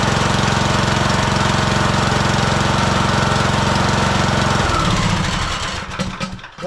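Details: Husqvarna YTH18542 riding mower with an 18.5 hp single-cylinder Briggs & Stratton Intek, oil slightly overfilled, run so the new oil filter fills: even thumping at about three beats a second with no misses or knocks, then a smooth wind-down; normal.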